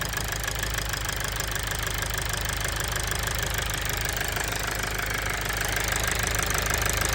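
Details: Toyota Avensis T270 2.0 D4D diesel (2011) after a seal repair on injector number 4: even diesel clatter at a steady beat that picks up briefly with a throttle blip. Smooth, settled, healthy engine.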